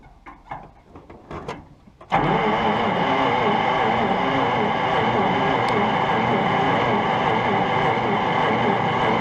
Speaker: Nothing. Okay. So, certainly acting like it's still got no spark.